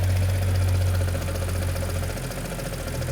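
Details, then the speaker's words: Audi S4 B8.5 3.0 TFSI petrol V6, stage 2 remap (~400 hp), aftermarket exhaust, metal previously found in engine: light regular tapping about four per second at idle, unhealthy, no engine fault codes; suspected mechanical failure (chains or bottom end), unconfirmed. "you can probably hear it as well definitely don't sound very healthy fault codes no fault codes so we definitely have a very funny mechanical failure somewhere"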